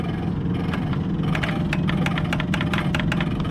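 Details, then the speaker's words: 1971 Chevelle wiper motor, with the wiper arm linkage unbolted: sharp, irregular clicks several per second over a faint vacuum hum, and the motor clicks but won't run. Owner suspects no power, possibly a bad ground strap. "Hear it clicking. Sounds like it's just not getting power, but that could be caused by a grounding issue."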